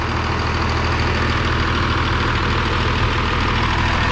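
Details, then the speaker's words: 5.9 12-valve Cummins diesel with VE pump, sat 15 years, now swapped in and running hot after clearing gummed-up fuel system: steady, even idle clatter, no misses or knocks, no blow-by; normal idle. "There's a blow by. There's none. Absolutely none. I'm extremely happy right now. This thing runs like a top."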